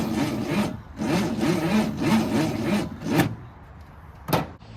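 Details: 1964 Ford Falcon wagon, 46 years sitting: sluggish, labouring crank in drawn-out bursts, each dragging and slowing with no firing. Owner suspected the battery, but the starter was failing; number 5 plug was full of junk.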